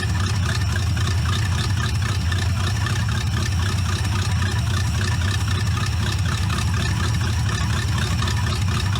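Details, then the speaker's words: C4 Corvette kart V8 with a carburetor, after the idle mixture screws were set 1.5 turns out: a steady, even idle with a smooth low rumble and no misses or ticks. It starts easily and idles healthy. "runs starts easy never pump the gas to start it up you know you can use a good carburetor tuning but I'm pretty happy with it how it is now"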